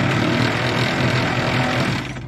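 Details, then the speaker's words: Cranking a 1950s Galion 503 road grader that sat 10+ years, with oil added and electrical bugs thought to be sorted: quick, even, brisk starter churn for about two seconds, much faster than before; normal, healthy cranking speed. "over a good bit faster that sounds better"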